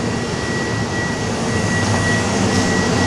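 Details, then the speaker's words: Laundromat furnace inducer motor that had seized and kept the furnace from coming on, now freed up and running: steady airy rush with a thin constant high whine, no scraping or grinding; it could seize again, so it is to be replaced. "what we had it's running right now what we had is this induction motor and so I got it freed up and it's working but at any time it could go back out"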